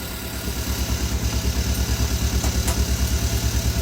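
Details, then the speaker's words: 2014 Hyundai Veloster Turbo after second engine teardown and rebuild, fresh oil, first start with engine open: even steady idle, soft pulse about three per second, no knocking or ticking; quiet, healthy, normal. "It sounds good. Quiet the engine, but I think this car got a muffler because So, I'm not sure if that's a muffler or what it is."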